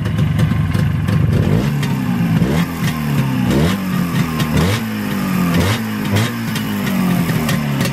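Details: Freshly rebuilt Jawa/ČZ 360 two-stroke twin: crisp repeated blips with clean rise and fall, quick return to a steady idle; owner calls it beautiful. Normal idle and revving.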